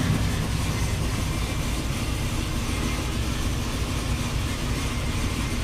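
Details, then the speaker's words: 2009 Saab 9-7X 5.3 V8 at idle on first start after reinstall, with XS Power headers and the stock exhaust. Deep, even, quiet rumble without stumbles or ticking. No fluid leaks, no engine light, fuel trims about 3%. Healthy. "it's just funny how quiet it is sounds good i don't see any fluid leaking anywhere and uh so far no engine light"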